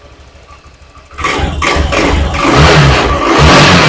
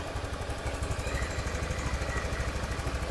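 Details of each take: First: Honda Beat FI injected scooter, after an ECU reset and idle adjustment: the engine surges in rough bursts when the throttle opens, then sags and dies, repeatedly; compression suspected weak; stalls when throttle is opened. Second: Honda Beat FI injection scooter, after fixing hard starting and idle that rose, fell and stalled; valve thought stuck by dirt: even, steady low putter at about three beats a second with no stumbling; now idles smoothly unaided.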